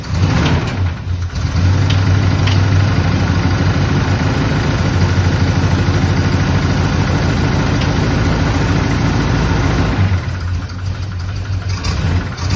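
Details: Abandoned barn-find square-body Chevy truck in zero-degree cold, carburettor being worked on: catches and idles with an uneven, lumpy beat that wavers and sags; runs rough, cause not yet identified.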